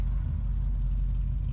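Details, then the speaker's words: 1976 Chevy Malibu Classic V8 after swapping Borla mufflers for Cherry Bomb glasspacks: deep, even, throaty exhaust rumble with no pops or rasp; not quiet but less poppy and loud, freshly tuned up, normal exhaust. "put them on there she sounds good not you know it's not quiet but it's more i don't know"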